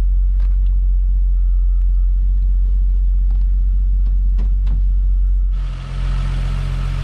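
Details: Toyota Supra Mk3 7MGE turbo conversion after switching from distributor to 2JZ/IS300 coils with stock 7MGTE igniter; starts fine, tach not working; steady even low rumble at idle, no misses: normal idle.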